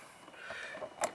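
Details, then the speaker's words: Nissan 350Z passenger power window, car on, switch pressed: two crisp clicks, then no motor hum or glass movement; failed window motor, known to fail prematurely, to be replaced. "and we press the button. You can hear it click, but obviously the window doesn't go down."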